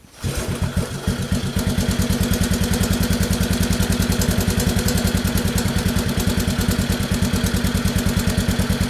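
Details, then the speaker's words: Honda 185S three-wheeler idling after oil change and recoil repair: fast even single-cylinder thumping with only a faint tap left; the previously loud engine tap quieted greatly after the oil change. "And it had a really loud tap in the motor. I'm sure you could hear it in some of the clips, but it quieted that way down whenever I changed the oil."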